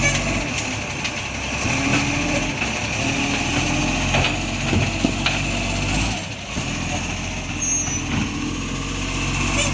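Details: Iveco ACCO 2015 facelift garbage truck (#38) with a Bucher Gen V body, diesel idling early morning; a sharp puffing tick rides on the exhaust note, with air brake hiss, indicating an exhaust leak.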